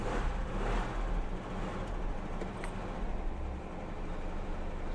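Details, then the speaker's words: 1985 Jaguar XJ6 Sovereign six-cylinder with fuel return valve problems and surging on the accelerator: starts fine and settles into a low, steady, even idle with no misses or hunting; starting shows fuel pump not at fault. "So the car starts fine enough, so there's no problem with the fuel pump."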